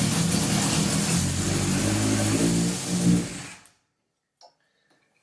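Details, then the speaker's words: 1978 Honda CB750 engine and carbs on a stand, first run in about 10 years or more after carb and idle adjustment: steady, even four-cylinder idle before shutdown, no misfire or knock. All four exhaust pipes hot, so all four cylinders firing. "so I'm just checking each of these exhaust pipes I just see if they're hot and they are so that means all four cylinders were firing as well"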